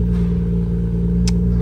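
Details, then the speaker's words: Nissan Skyline R34 GT-R (stated 900 HP) cold start idle: low, even hum with steady pulse, no rasp, knock or annoying exhaust noise; runs beautifully. "inanılmaz güzellikte çalışıyor ya Call Start bu ve egzozdan böyle rahatsız edici ses yok"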